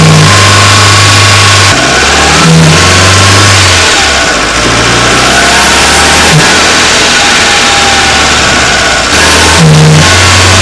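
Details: Renault Wind / Clio III 1.2 turbo 100hp, mic under the bonnet, revs held at 2000 then 2800 rpm; an airy rushing hiss over the revs. The faulty original Bosch 0280142118 turbo dump valve, replaced with an adjustable recirculating valve.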